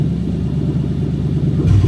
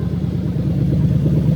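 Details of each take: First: Lexus SC430 3UZ-FE VVT-i V8 on IS200 swap harness, warmed just over cold, idling about 1000 rpm: uneven, stumbling beat as sound drops; induced single-cylinder misfire. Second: Lexus SC430 2001-2005 3UZ-FE VVT-i V8 fitted with an adapted engine harness in a left-hand-drive IS200, just started with coolant slightly above cold: even, steady low rumble with no knocks or ticks as the revs settle; normal healthy idle.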